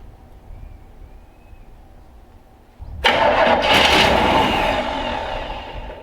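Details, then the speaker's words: 1965 Chevrolet C10 step-side truck, sitting a while, started after priming fuel into the carburetor: quiet for a few seconds, then it catches at once and settles into a strong, steady run; clean start. "Looks like we got ourselves a runner. That's pretty exciting."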